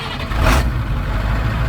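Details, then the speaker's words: Old tow truck with new oil, started after purchase. Deep, steady engine rumble with a clean low beat and no knocks or rattles; running well. "sounds good. 100 million angels singing."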